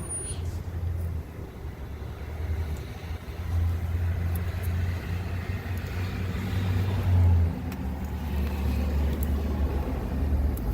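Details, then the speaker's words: 2009 Ford F-250 5.4 L, crank no start with no cranking rpm: open crankshaft position sensor circuit; gently pulling the harness made it run, deep rumble surging and sagging as broken sensor wiring cuts in and out. "as you see here we have oh L which is an open circuit looking at the crankshaft sensor it was very difficult to get to you so I started tugging on the harness and this is what we had"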